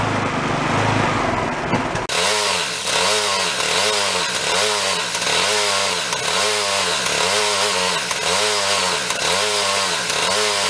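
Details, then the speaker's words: Yard-sale two-stage snowblower started on choke with a squirt of fuel; revs rise and sag in a steady surge about every second. Surging from carburetor debris; white speck found in the jet. "yep we said that carburetors nice and clean it has issues"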